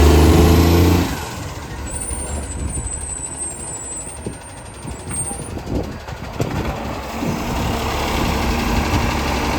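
A deep, rough diesel roar with a raspy, chuffing edge over street and hydraulic noise points to a loud exhaust leak.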